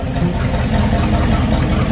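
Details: 1978 motorhome 440 big-block V8, unrun for years, for a 1974 Plymouth Cuda, on custom run stand with great oil pressure: deep, steady burble, even beat, no knocking or ticking; normal idle.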